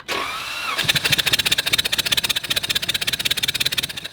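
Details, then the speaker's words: Flood-damaged car V6 engine cranked with spark plugs removed to expel water: fast, even whirring starter with no compression load; only air and a little fuel come out, no water from cylinders. "now unfortunately the only thing we really see coming out is air and a little bit of fuel that's being sprayed into the cylinders"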